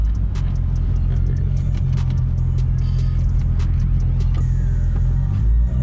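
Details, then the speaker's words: Infiniti Q45 driving uphill under load: a deep, loud, raspy rumble from an exhaust leak, especially obvious when passing beside objects. "hear the exhaust leak now that's brutal anywhere anytime i'm beside something it's really obvious"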